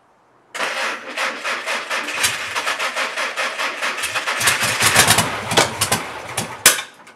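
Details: Mystery VW engine for a 1959 ragtop, after new spark plugs and wires (cylinder one had no spark), a cleaned carburetor and adjusted valves. It runs with lumpy, uneven pulses and never idles smoothly; battery dying; owner thinks it needs a new carburetor.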